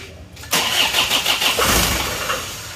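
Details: Isuzu Panther diesel after broken crankshaft rebuild: starter cranks briefly, diesel catches and settles to an even idle, smoother and less harsh, normal exhaust smoke; injection pump timing backed fully off to offset over-deep regulating valve.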